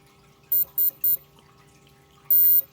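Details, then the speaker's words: BLDC motor run from about 10 V DC through a power unit producing an RF frequency, with a servo controller for rpm: three quick high beeps, a pause, then a longer tone at power-up, coming from the motor itself as its normal start-up chime. "so this motor actually talks so when you start it up you're gonna hear a sound you'll hear that dddd well it's not coming from the controller or the power unit it's actually coming from the motor itself"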